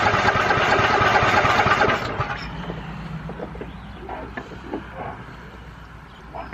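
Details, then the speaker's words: Lawnmower not run in years, carburetor cleaned, fresh gas, gas on; fired once on first crank then quit, now about two seconds of steady slow cranking that dies without catching, battery too weak to crank again. Cranks but won't start, cause unknown. "now that battery just ain't got enough in it to do it again"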